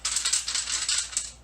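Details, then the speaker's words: High-performance engine intake manifold, removed after a valve-train issue, shaken by hand: quick bright metallic rattling in bursts from loose hard fragments inside, pieces of broken valve debris in the manifold. "And that broken off valve literally went into the intake. How the odds are that it landed in that intake was crazy to me, but I have confirmed that the odds are pretty good of things ending up in the intake."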